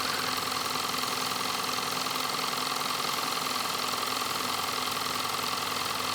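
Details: Nevadent water jet flosser (Lidl) on jet setting, tank nearly empty and unit starting to shake: fast, very regular buzzing pulses about three to four a second, no grinding; pump running normally.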